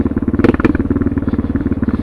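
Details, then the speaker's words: Suzuki DR650 with a tuned Procycle jet kit at 10 mph in second gear: the single chugs slow and even with distinct firing pulses and no stumbling. It pulls cleanly at low revs, which it couldn't do before the jet kit. "you know I couldn't I couldn't idled on like this before look listen to that 10 m an hour in second gear the low end of it are you kidding me"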